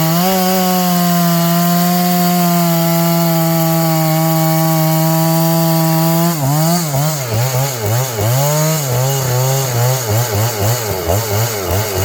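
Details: John Deere CS81 chainsaw cutting wood after revival: steady high two-stroke scream, pitch dipping and recovering rhythmically as the chain bites; carburetor okay, burning black off a dried-up muffler, pulls cleanly under load.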